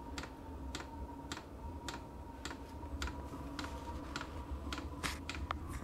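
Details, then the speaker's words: Vevor diesel air heater under repair, starting up: fan spinning up, crisp fuel pump ticks about twice a second over faint hum as fuel feeds; normal pump clicking at ignition. "the fan starting to turn up a little bit and that is the fuel pump which has now started to feed fuel into the system"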